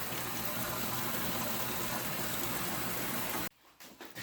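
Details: Older Maytag A7300 washer with a lid door switch fault that stopped it mid-cycle: steady rushing of water filling the tub about three seconds, then stops cleanly; normal fill.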